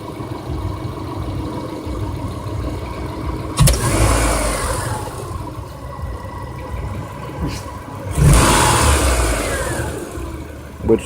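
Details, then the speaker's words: 2002 Subaru Outback vacuum test, idle at 21 then snap throttle reading 25 against a 17–27 spec: steady idle with two quick, clean blips to high revs dropping straight back to an even idle, a healthy engine. "we're going to do a snap throttle snap and see what it reads anything it's supposed to read from 17 to 27 and we'll see where it reads at"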